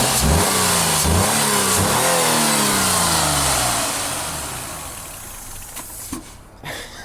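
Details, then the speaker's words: 2000 Ford Cougar 2.5 V6 170 hp, warm at normal temperature: a couple of sharp revs, then the note sags and dies. It stalls after revving; owner suspects an air leak. "a calé bon ça ça m'est jamais arrivé avant je te le redémarre"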